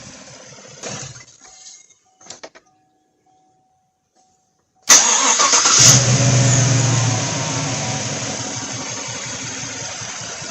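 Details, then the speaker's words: 2016 Chevy Silverado 1500 5.3 V8 with code P0300, spark tester on cylinder 7: cranks, catches and settles into an uneven idle with a steady stumble; no spark on that cylinder, still none after clearing codes, coil or coil control suspected. "I guess that tells a story there's no spark on that cylinder why is there no spark I do not know yet"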